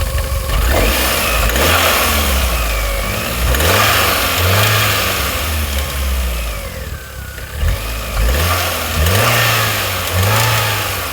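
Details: Vauxhall Astra J blipped repeatedly: light rattle between 2,000 and 3,000 rpm that fades at idle, no leaks or overheating; owner suspects the back of the water pump replaced 18 months ago.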